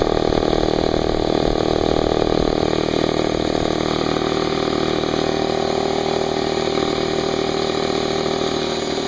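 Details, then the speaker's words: New Harbor Freight Central Pneumatic 29-gallon 2 hp 150 psi compressor, model 68127, first start for 10-minute no-load break-in with tank drain open and oil changed; steady even chugging hum about three pulses per second, quiet, no knocks. "it's actually pretty quiet"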